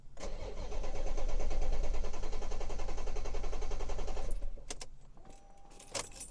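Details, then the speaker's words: Crank-no-start fault that returned; a scan shows the engine ECU is not communicating. The starter cranks steadily at about three to four beats a second for four seconds and never fires. Power supplies and grounds to the offline engine ECU need checking. "you can see we are not firing up so that is an issue the the engine ECU is offline so we need to check all the power supplies go to that engine ECU plus the grounds"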